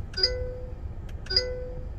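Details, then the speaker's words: Chery Tiggo 7 Pro (1.5 turbo inline-four, 147 hp, CVT, front-wheel drive) switching between Eco and Sport drive-mode buttons; two short bright rising chimes about a second apart. Normal drive mode switch chime. "одна кнопочка переключается то есть всегда можно так раз руку перенес селектора включил с таким интересным звуком переключается"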